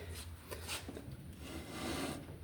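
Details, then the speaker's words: 1967 Chevrolet C10 rear axle being refitted, no hydraulic brakes connected; turning it gives a continuous rough scraping rub that swells and fades; dragging, with a stuck brake suspected, to be removed and diagnosed. "You can hear it dragging. So, we'll take that off and diagnose it."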